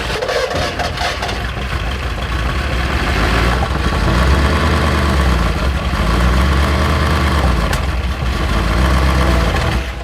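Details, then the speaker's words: Junkyard 1964 Ford Galaxie big-block V8 first run after sitting, timing cranked in, carburetor fire: loud deep lumpy surging and sagging, runs terrible; valves barely opening, no oil pressure, likely camshaft wiped, suspected not confirmed. "That runs terrible. I made fire out of the carburetor."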